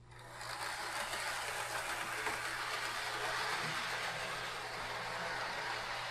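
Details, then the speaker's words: Proto 2000 model locomotive, believed to be a GP18, back on the track under DC after the wheels/axles were dealt with; earlier bench draw was about 1/4 amp. An even, fast, airy whir with a low steady hum and no stutters: smooth running, with the wheels or axles found to be the cause. "Well, that's certainly an improvement. So it was the wheels all the time."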